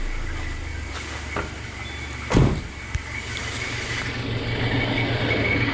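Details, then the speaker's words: Citroën C4 (Peugeot/Citroën 2.0 16-valve) idling with a thin steady high whistle seeming to come from the engine; accessory belt removed to rule out alternator and tensioner. "Esse aí é o barulhinho do Citroën C4 Palace, do Citroën hatch, do Peugeot 2.0 16 válvulas. Esse barulho aí, um assobio que parece que vem do motor."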